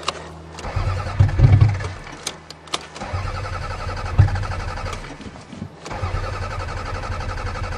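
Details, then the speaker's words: Toyota Camry, snowy cold start: repeated steady cranking that never catches and no fuel pump heard; owner suspects fuel pump failure. "come on it's a Toyota I don't hear the fuel pump uh-oh oh no uh-oh we have fuel pump failure"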